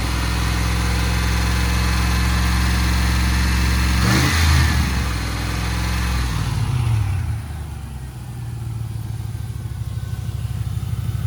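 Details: Range Rover P38 V8 after a bearing-noise repair (suspects included the alternator and AC compressor), while refilling and burping coolant: steady idle rising smoothly with throttle blips, no bearing rumble or chirp. Normal idle and revving.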